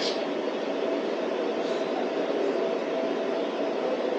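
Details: DIY waste oil burner after adjustments, running on current blower: steady, even roar with faint whine, no surging or popping, putting out heat; running hot and clean, normal.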